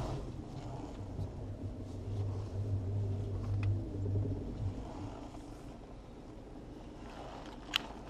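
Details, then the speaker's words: Mini Cooper R56 after replacing both front strut mounts (one had been noisy, rubber cut) and shock absorbers; only a soft low rumble and tyre scrub while turning, no knocks or creaks. Normal steering noise. "si terminamos ya no hace ruido ya es el ruido normal de la dirección con los neumáticos que rozan en la calle en el piso pero que ya no escucha"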